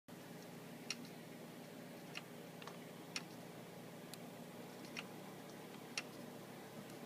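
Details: Seagate FreeAgent external drive with faint, slightly uneven sharp clicks about once a second over a quiet hum, returned after doing it last year; owner thinks the internal hard drive is failing; repeated clicking.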